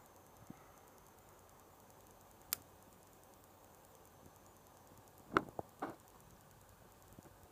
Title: Ps4 crackling / popping noise